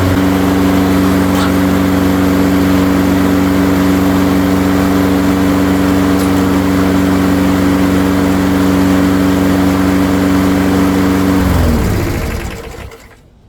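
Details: Craftsman mower with Briggs & Stratton engine, primed and run a few minutes to warm its very black, apparently never-changed oil before an oil change: steady, even single-cylinder drone for about eleven seconds, then winds down; running healthy.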